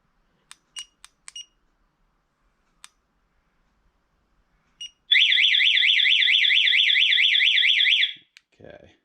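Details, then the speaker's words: Newly installed Spy 5000 motorcycle alarm: a few short chirps, then a loud rising-falling warble siren, about four sweeps a second. The siren works properly, but the alarm will not set from the remote. "that definitely worked the alarm's working it's just not setting"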